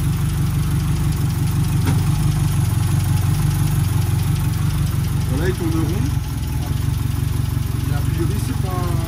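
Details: Restored Renault R5 Alpine Turbo petrol engine with rebuilt carburettor and turbo, restarted, accelerator and choke cables not yet fitted; low even steady idle, no misses or knocks; normal idle.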